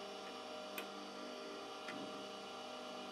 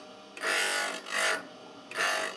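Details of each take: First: Drill-bit grinding attachment with a 20.5 mm drill: steady motor hum with a light click about once a second as the bit passes; bit not yet touching the grinding stone. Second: Drill bit in a sharpening attachment against a grinding stone: three short raspy grinding passes, each about half a second, with quiet pauses between; the bit is meeting the stone normally.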